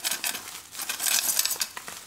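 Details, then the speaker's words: Godox SK400 II studio flash, dead with no flash after a failed earlier repair: bright glassy tinkling each time the unit is shaken, loose fragments rattling inside; cracked flash tube. "Waduh ini pecah nih pecahnya teman-teman"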